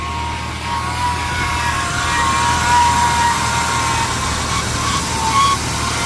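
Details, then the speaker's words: 1998 Ford Explorer, sat five years, engine stuck near 2,000 rpm: steady high squeal wavering with revs persists despite belt conditioner; owner suspects power steering pump or accessory belt/pulley, not confirmed. "Nope, squeal's still there. Where's it coming from?"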